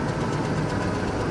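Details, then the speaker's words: All-wheel-drive vehicle at a Copart auction, listed as a non-runner but it starts and runs well. Steady, even, low idle rumble with no misses, knocks or hunting. "It's a non-runner. I'm just now realizing that this one is not supposed to run. And it runs."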